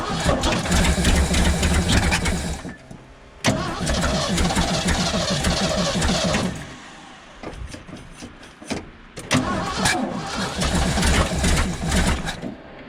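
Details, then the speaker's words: 1975 Ford F750 pipeline truck V8 after idle screw adjustment, before distributor timing tweak: coughs and stumbles, dropping out between runs with sharp pops; backfiring badly at idle. "backfire something fierce yeah i'm gonna go to wrench"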